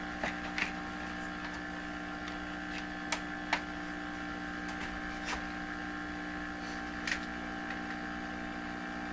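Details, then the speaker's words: 1928 RCA Victor Model 28V radio, signal tracer listening on a ground wire run to the water pipe: low constant buzzing mains hum with handling clicks, likely because the signal tracer has only a two-prong ungrounded plug. "You would think grounding this would just make it go silent, but the signal tracer itself is not a 3-prong plug device. It's only a 2-pronger, which is something to think about. That's probably why we can hear that."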